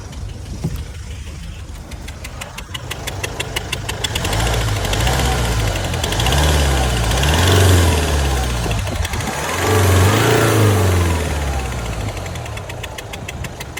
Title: Land Rover Range Rover 2018 velar diesel !!!!! POS !!! Only with 100*kms . Knocking noise engine??